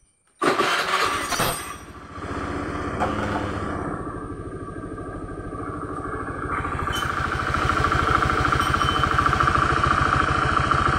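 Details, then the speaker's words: Honda Spacy FI scooter after repair (worn final-drive bearings replaced, brass bearing in the CVT case): quick start, then a smooth steady idle building evenly with no rattle, grind or whine; CVT running smooth and responsive. "CVT nya sudah halus responsif"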